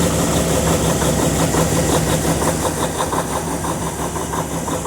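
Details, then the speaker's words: Freightliner DD15 diesel semi idling right after a cold start at about -10° after -17° night: steady, even diesel clatter, no stumbling, surging or chugging; running healthy. "so I'm going to let this thing run for 10 20 30 minutes run to the post office come back and see if she's still running but she's purring like a k kitten right now ain't even chug a"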